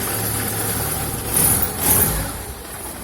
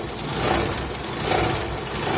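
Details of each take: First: Petrol car idling steadily after the crankcase (oil pan) protection plate, knocked on a dirt road, was bent back into place with a wheel wrench. It gives a low even hum with no rattling or vibration from underneath. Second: Old car idling after driving on a dirt road: steady buzzy metallic rattle and vibration from underneath, caused by a dented engine skid plate touching the oil pan; fixed by bending it away with a lug wrench.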